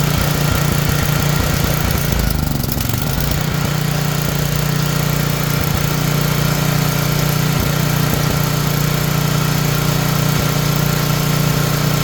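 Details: Tecumseh generator bought as non-running with suspected fuel issues, running with the brown wire disconnected; oil was later found low. Steady, even low drone at constant governed speed, no surging, misses or shutdown; running normally.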